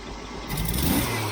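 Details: Jeep CJ-7, accelerator pump adjustment turned to one extreme, owner unsure if minimum or full: quick blip swells but hesitates and flattens, a stumble just off idle; turning it the other way made it worse.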